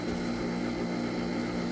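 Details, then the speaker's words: Homemade water-heater heat pump on first full test: compressor started via 24 V contactor, fan and submersible pump (loudest) running, water and air temperatures checked; steady even low drone without knocks; normal running. "the loudest thing over there of course is that submergible pump pressor's running fan already was running"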